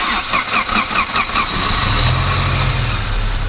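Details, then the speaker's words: 1986 Saab 900 Turbo with a 16-valve engine, recently given a new valve cover and an oil change. The starter cranks briefly, the engine catches cleanly within two seconds and settles into a smooth, even idle; a healthy cold start. "It runs really good."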